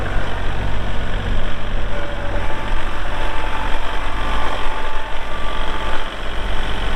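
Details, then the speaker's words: 2022 Kubota L3901 4WD hydro compact tractor diesel, 219 hours; steady even diesel idle with a smooth low rumble, no knocks or misses: normal healthy idle. "This one has 219 hours. Cranks up, runs good."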